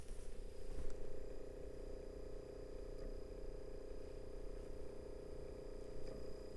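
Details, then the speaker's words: Cheap thrift-store DVD player used as a CD player, idle and not playing, heard up close: a low steady hum with a soft purring flutter. The drive hum is unusually loud; cause unknown. "this thing is just going hmm is humming and purring and it like I'm gonna get up close so you can just hear what it does when it's idle it's idle it's not even playing right now"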